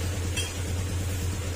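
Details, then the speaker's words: Yamaha Sniper 150 that became noisy after running low on oil, idling after reassembly. The engine is quiet with a faint light valve tick, called normal because of its generous valve clearance; it is quieter with the clutch pulled. "Ayan, tumahimik na siya. May kunting lagitik. Normal lang po yun mga sir kasi malaki kasi yung kanyang sukat ng valve clearance."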